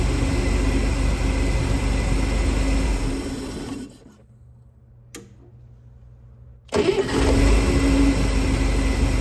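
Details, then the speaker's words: 1963 Chevy Corvair Monza Spyder turbo, parked since mid-1970s, fuel pressure stable at 7 PSI with no return line yet: engine catches instantly and settles to a steady even idle, starting right away; normal quick start. "that's pretty good though it starts up right away check it out"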